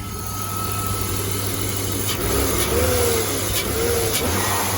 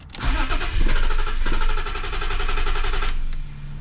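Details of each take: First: BMW E34 M50 six-cylinder donor engine for an E30 swap revving on quick throttle blips, smooth and even, no metallic pinging; the earlier fuel ping was a stuck injector, now running on all six. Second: BMW M50 engine from an E34, donor for an E30 swap, after new spark plugs: the starter whirs, the engine catches, surges and sags into a lumpy idle. With the MAF unplugged it holds idle, so a bad MAF is suspected; a misfire remains.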